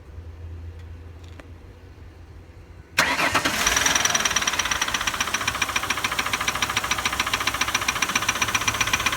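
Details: Ford 4.2L V6 OHV engine starting and settling to idle with a sharp, steady ticking/clicking about three to four per second; suspects include sticking lifters, bent pushrod, loose spark plug or loose timing chain, unconfirmed.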